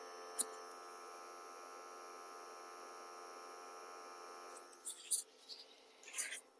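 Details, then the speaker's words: Hot air gun (SMD rework station) air pump motor bench-tested on about 13 V DC supply: steady, even whirr at one constant speed, no surging or dropouts; earlier its speed kept rising and falling; motor is fine. "जब इस तरह से हमने इसको supply दिया तो ये हमारी मोटर जो है कंटिन्यू एक स्पीड में चल रही है, ठीक है।"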